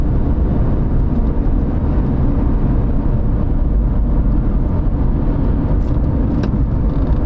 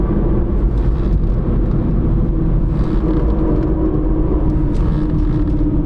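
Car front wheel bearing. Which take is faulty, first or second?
second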